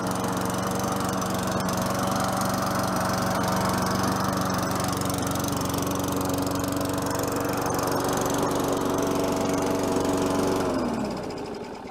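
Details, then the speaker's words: Free Tecumseh 4.5 HP mower engine, sat about three years, running after carburetor work. It holds a steady, even drone for about ten seconds, then winds down at shutoff: runs smooth, normal. "it sounds good"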